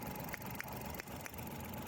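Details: 2012 Mazda van built as a Suzuki Every, check engine light on with code P0303: quiet idle with an uneven stumble and dips roughly every third of a second, consistent with a cylinder 3 misfire.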